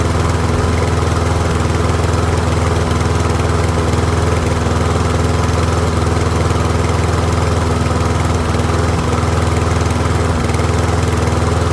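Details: Troy-Bilt rear-wheel-drive mower with Briggs & Stratton Professional engine, after ultrasonic carb clean: steady, even putter at constant speed, no misses, hunting or surging, no smoke; pretty quiet, running cleanly for about 5 minutes until fuel runs low.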